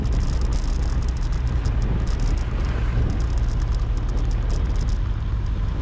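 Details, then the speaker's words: GoPro Hero 7 recording on the road: sharp irregular ticks in quick clusters over steady road rumble, caused by the camera's loose battery door latch rattling. "Nhưng mà nó có một cái điều là anh em sẽ nghe một cái tiếng tạch tạch tạch tạch tạch nó ở trong video. Đó là cái tiếng mà mình và rất nhiều anh em không có thích,"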